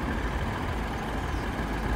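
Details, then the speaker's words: 2013 Mini Cooper S R56 four-cylinder at idle, bonnet open: soft steady hum with light even valvetrain tick, no knocks, rattles or funny noises; normal idle. "But as you can hear, it's ticking away nicely, no funny noises, and it's all nice and clean."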